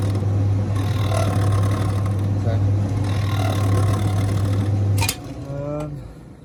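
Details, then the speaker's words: Zanussi TD200 auto-reverse tumble dryer, exhaust fan motor (similar to a fan-oven motor): heater still works but the fan won't blow; a loud steady low hum with no spin-up, then it cuts out. The motor stalls when stood upright, a failed fan motor. "I think that motor needs total lubrication."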